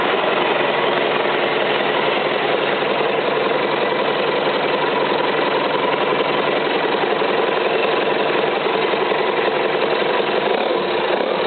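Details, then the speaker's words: Rebuilt Isuzu 4BD1-T diesel at its first start on a stand, without cooling water hooked up, before going into an FJ60 Land Cruiser: an even diesel clatter at steady idle with no misses or hard knocks. It sounds healthy. "all right don't want to run her too long cuz I don't have it hooked up to water but uh seems to be running like a champ"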